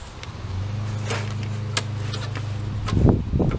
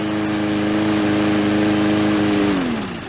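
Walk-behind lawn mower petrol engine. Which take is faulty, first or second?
second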